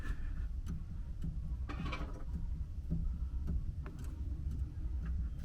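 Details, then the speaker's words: Vauxhall Agila B offside front wishbone rocked by hand: sharp irregular clunks over a low rumble from play where the wishbone joint meets the hub assembly, the knocking heard when driving. "I don't know if you can hear the banging there. And that's the knocking sound I'm getting when I'm driving."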